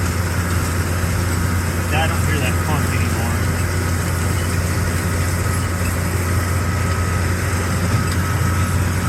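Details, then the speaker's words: Baler after twine reload: steady even drone with low hum, no knocking or clunking in the drive; runs smoothly and quietly. "Sounds nice and quiet."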